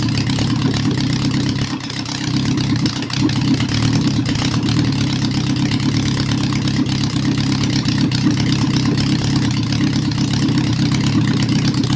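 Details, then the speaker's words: Honda CB750 during restoration, warming up from cold after carburetor work, mixtures not yet set, earlier slow return suspected vacuum leak: steady, even four-cylinder burble at constant speed, carbs sounding balanced; normal idle. "Can't complain with that. Just a bunch of carburetor adjustments."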